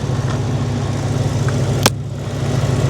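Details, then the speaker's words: Salvage Ford F-250 with 6.2 engine, about 102,460 miles: steady even low idle rumble with one brief click; AC compressor running and alternator charging, engine sounds healthy. "Yep, compressor's running, AC's working. Alternator's charging, I can hear it running."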